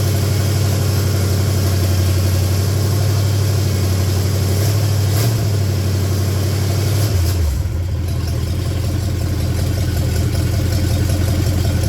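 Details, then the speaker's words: 1966 Buick Special with 350 V8, first start-up, little smoke smelling of fuel not oil: steady even low rumble with brief dip, then smooth idle; idled down well, normal idle. "of course I haven't run it very long uh but uh looks like it idles good it idled down good"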